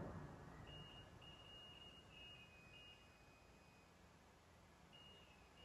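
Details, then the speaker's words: iPhone 6 board with current leakage, capacitors around an IC checked with a multimeter: no beep on good capacitors, then a high steady continuity beep on the shorted capacitor. "देखिए ये shot नहीं है, ये भी shot नहीं है, ये भी शॉटिंग नहीं है, ये भी शॉट नहीं है। देखो ये शॉट है,"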